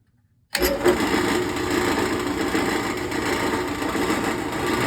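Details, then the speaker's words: General 340 drill press running: a constant buzzing metallic rattle over the spindle hum that goes away when pressed by hand and persists with the belt cover off. "Got a little rattle going on with the general drill press."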